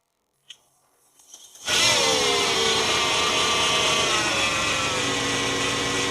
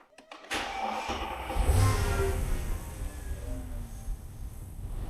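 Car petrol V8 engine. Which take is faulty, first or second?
first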